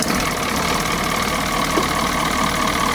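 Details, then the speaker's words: 1986 Wanderlodge bus two-stroke diesel, recently run, started after pre-start checks; warning sounds as suspension is dumped and oil pressure low before start. Starts quickly into dense even clatter with steady drone, no misses; normal running. "now go ahead and listen to how quickly this thing starts"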